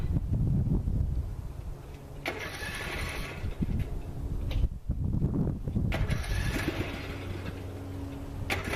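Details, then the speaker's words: Finished "Workhorse" fired up for quick tests; engine catches after a short crank, takes a couple of throttle blips and settles. No knocks or rattles stand out; normal start and run. "Fire it up, do some quick tests, make sure everything still works, and call it a day."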